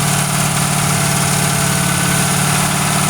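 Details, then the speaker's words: Original 1971 Ford Torino stored 25–30 years, first start on 2-stroke-mix fuel: lumpy idle pulsing about three beats a second, loaded up; runs stoved up, possibly from the oil being pushed through it. "Kind of runs like it's all stoved up, but that could be all the oil we're shoving through her."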